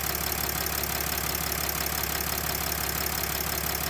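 Fairly regular tick, about three per second, over a steady diesel idle with a hissy top end; source of the knock unclear.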